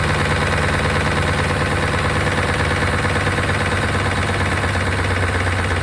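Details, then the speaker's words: 1992 Chevrolet Caprice wagon V8, sat in a field and reportedly seized, low on oil; busy idle with fast light ticking about three a second, suspected noisy lifters that got louder while running, unconfirmed. "uh that sounds a little louder gun lifters very strange cuz it's running"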